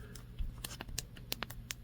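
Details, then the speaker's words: iPhone XR side buttons pressed near the microphone as a reference for a squishy iPhone 13: short, crisp, firm, consistent clicks that are not extremely loud over a quiet room; normal button click. "They have some click to them. They're not extremely loud, but they do have some some click."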